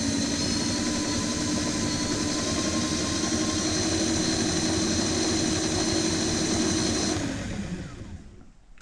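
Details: Rear hub motor of a DIY dual 350 W hub-motor electric scooter spinning freely: steady, even whine with smooth hum, then clean spin-down at the end; healthy motor.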